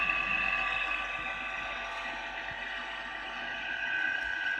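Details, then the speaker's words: Vintage thermal camera cooler pump running: steady high whirring with faint ticking about four times a second. Owner suspects the pump lost its fluid (ammonia, freon or air pressure) and isn't cold enough. "the pump i don't know what they're supposed to sound like i've never had one before but they are supposed to make that kind of sound"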